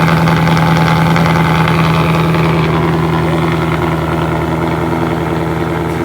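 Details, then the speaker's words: Cold start of a 2018 Ford Mustang GT V8 with a newly installed X-pipe exhaust: deep, even burble at a raised cold idle, steady firing with no misses, knocks or ticks; normal cold idle. "we're gonna start her up so you guys can hear how the new installed x-pipe sound cold start with the new X pipe"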